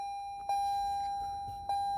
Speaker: So whether you're turnkey or push-button start, there's one thing to remember. You might not hear the engine when you start it up.